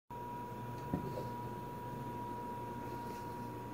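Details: LG appliance: steady high whine holding one pitch throughout over quiet room hum; whining noise, cause unknown.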